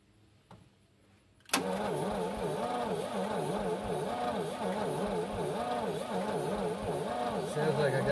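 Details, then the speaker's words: 1950 DeSoto S14 flathead six on 6-volt, first start attempt after sitting (last service record 1966): slow, lazy cranking in even humps, well under one a second, compression audible, never fires; check shows no spark. "since it has been a year my brain tells me I probably ought to check for spark and I have none"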